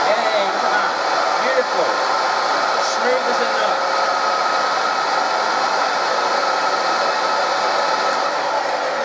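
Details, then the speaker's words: Restored 70-year-old Hoover 119/1224 upright vacuum cleaner, first switch-on after fitting the cable: smooth, steady high whir with minimal commutation sparking, no grinding or misfiring clatter; motor running healthy. "the commutation is minimal absolutely perfect that's a lovely little machine"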